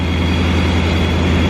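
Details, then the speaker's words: 2019 Mustang GT V8 with a new ProCharger P1X Stage 2, first start on the base tune and warming up, with oil burn-off from the valve-cover work. A deep, loud, steady rumble with a thin constant whine, even and unbroken; a clean, healthy idle. "Other than that, everything's good. Fired right up, running really good."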